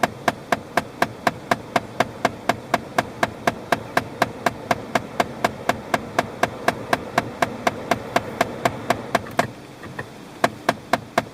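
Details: Steady, sharp, even ticking about four times a second over a quiet background; a ticking fault of unknown cause.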